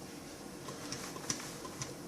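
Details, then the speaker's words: New-old-stock Amiga 1200 at first power-on with an original hard drive attached: faint, irregular seek ticks as the drive works normally and boots. "okay I can hear the drive ticking flash on the hard disk that's not bad be ticking away quite nicely and up comes hard drive hooray"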